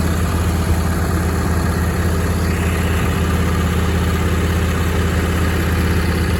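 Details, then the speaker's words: John Deere D160 mower engine, unrun for 2 years, after new plugs, air filter, fuel filter and battery and a carburetor cleaning; low, steady thrum with an even beat and no misses or knocks; normal idle. "clean the carburetor now it starts and runs great the mowers they engage it works really well"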